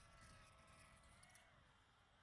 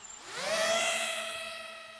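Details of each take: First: iFlight Nazgul Evoque F5 V2 FPV drone in flight: motors buzz unevenly with a harsh high screech rising near the end, flying badly; a propeller was found not tightened properly, to be tightened with a socket. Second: iFlight Nazgul Evoque F5 V2 FPV drone spinning up after a loose, screeching propeller was tightened: the whine climbs quickly, then settles into a clean, steady multi-tone hum with no rattle; motors and props sound healthy.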